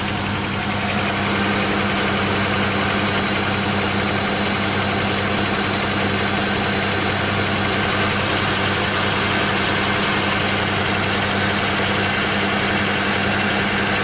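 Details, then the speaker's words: Engine just reassembled after lower intake and head gasket replacement, first start: loud idle with an uneven, lumpy pulse and heavy engine shaking plus a little smoke from the back; a gas leak was found afterwards. "Still sounds a little shaky, but there is no oh, yep, there's a little bit coming out the back. I don't know if that's just the shit it's burning off or what, but the engine's shaking pretty bad."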